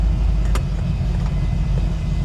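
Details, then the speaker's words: 1951 Ford Custom with fuel injection and fuel pressure set correctly, heading out on a road test: deep, even engine note with no misfire or stumble, holding steady without lugging as it goes into gear. "Yeah, let's get it out on the road. It already sounds better. Let's see how it sounds going into gear."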